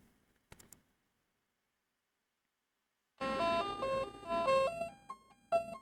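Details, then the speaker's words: Commodore 64 on diagnostic harness cartridge after cleaning edge connectors, then playing music from cartridge: after a pause, clean chirpy notes step up and down in a short tune; the SID sound chip works. "And that all sounds good as far as I can tell. So it looks like we have a working machine."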